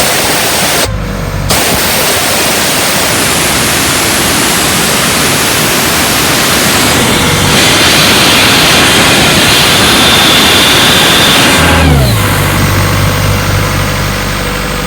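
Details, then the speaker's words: 1996 Ingersoll-Rand air compressor, 1006 hours on meter: loud, steady rush of air released from the valve over a constant engine drone, no stumbling; plenty of air, very high pressure, runs normally. "the motor sounds good it starts right up and it makes air if i open the bulb here a lot of air comes out"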